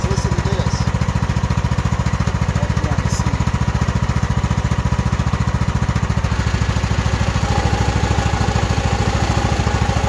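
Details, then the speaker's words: Craftsman riding mower with hydrostatic transmission whose transmission fan broke; with brake and clutch engaged, engine thrums evenly about three and a half beats a second under a heavy drive drone; owner suspects pulleys toward the front. "I'm hoping there's nothing else wrong but it does sound like something else is going on listen closely when I got the the break and break on clutching you know listen to this"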